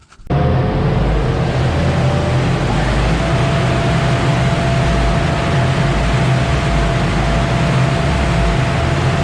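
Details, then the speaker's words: Honda DC2 Integra K20 turbo after swapping plugs (gapped 0.6): loud engine with an uneven, lumpy pulse; misfire persists, plugs didn't cure it, suspected number four injector wiring. "right guys as you saw we just changed plugs around to see if it cures the misfire um gap them to 0.6 just going to run the car now see if it's"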